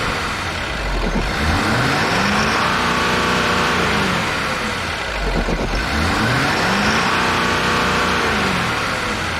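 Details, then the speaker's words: Ford F350 6.7L Powerstroke diesel after draining accidental gasoline from tank and restarting: settles into steady even idle, revs cleanly and drops back smoothly, no misfire; seems normal. "i don't have really anything in the throttle of course these things are so limited now you can't just spool them up anymore but seems like it's normal"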